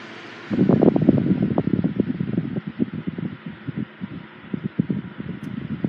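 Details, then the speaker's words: 1980s Sanyo 9-inch oscillating fan EF709R, serviced and oiled, on high speed: steady blade rush with uneven buzzy rattle about four per second; not the motor, vibration resonating through the base. "It does have a slight rattle to it when it's running on high speed, but it's not the motor that's doing that. It's just the vibration of the fan that's resonating through the bass."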